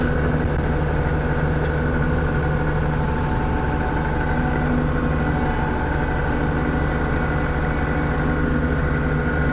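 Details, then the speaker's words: John Deere 6620 combine during harvest prep, heard in cab with mic noise cancellation off after quieting work: steady, even low rumble, smooth idle, no knocks or rattles; normal quiet idle. "I've got my microphone off noise cancellation so that y'all can hear what it actually sounds like is that not quiet or what blows my mind how much quieter it is in here"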